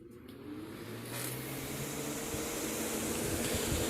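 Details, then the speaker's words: Dusty household fan before cleaning, running on highest setting (level 3 of 3): steady rushing air with a low hum; relatively loud and fast, not dying, just dirty. "It is relatively loud and also pretty fast, but it really changes once you get to 2 and especially 1."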